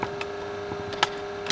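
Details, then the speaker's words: HP 3165 laptop at startup: steady, mid-pitched loud cooling fan drone with a few light clicks, caused by dust buildup from lack of cleaning; fix is disassembly, cleaning and new thermal paste. "быть слышно да вам очень сильно гудит вентилятор то есть это достаточно частая проблема вообще всех ноутбуков и происходит это потому что люди очень редко приносят ноутбуки на обслуживание"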